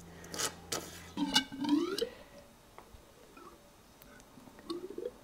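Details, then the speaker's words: Yamaha RD400 fork leg during fork oil refill: the leg is pumped gently to bleed air, giving wet squelching strokes whose pitch climbs as resistance builds and the gurgle settles. Air purging out and damping building normally. "the noise has changed and I can feel resistance now. It's getting stiffer."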